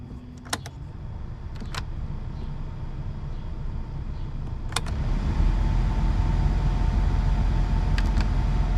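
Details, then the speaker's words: Sharp irregular clicks from under the dash of a VW Gol G8 when recirculation is selected; flap closes and fails to close repeatedly, over blower hiss; blower also vibrates and gets louder at speed 4. "e ó o estralo que ele fica dando ele fecha e não fecha fecha e não fecha a gente desliga tem horas que ele dá uns estralos"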